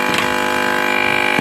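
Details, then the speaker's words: CRT TV with a China kit PCB, picture fine: a steady buzzing hum with harsh, crackly distortion that persists even after lowering the volume by remote. "Sound आ रहा है लेकिन sound में humming है खरखरा हट पन है बहुत ही बहुत ही ज्यादा"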